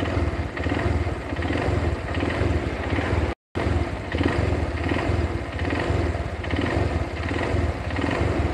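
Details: Yamaha Verza motorcycle engine running: a steady, rough rattling knock over the exhaust throb from a worn connecting rod, louder with the clutch released and quieter with the clutch pulled.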